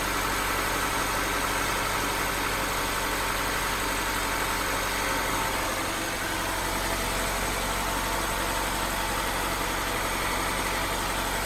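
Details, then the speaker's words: Honda CR-V idling after new gaskets and an oil change: a smooth, even idle with a steady hum and no stumbles or skips; the earlier slight cold misfire is gone. "It would like kind of like it did have like a little misfire, but now it looks like it doesn't even like misfire at all. That's pretty cool."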